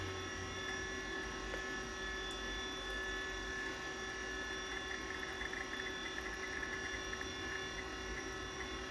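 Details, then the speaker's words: 1987 Apple Macintosh II running: constant high whir with faint fine ticking over fan hiss from the hard drive's worn bearings; the drive still works but may be near failure. "for you can hear the bearings quite clearly there this drive might be on its last legs but it seems to work fine so"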